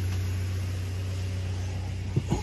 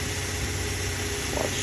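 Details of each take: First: Toyota Hilux 3RZ-FE 2.7 L gasoline engine, in gear after an idle screw adjustment: a steady, even low rumble at about 1000 rpm with no shake, stumble or dip. Normal, correct idle. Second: Toyota Hilux 3RZ-FE 2.7 L gasoline, idle screw turned below the proper idle of about 900–1000 rpm: low, slow, choppy idle with shaking, stumbles and misfire because the idle speed is set too low.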